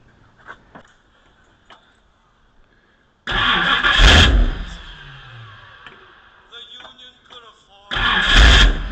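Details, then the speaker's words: 1959 Ford Thunderbird, won't keep running: engine catches with a roar, revs briefly and dies within two seconds, fires again and stalls; also dies when feathering the pedal. Owner suspects only the idle circuit gets fuel, maybe plugged jets. "All right. So, it's having an issue with this thing not starting >> and uh it'll like start up but then die."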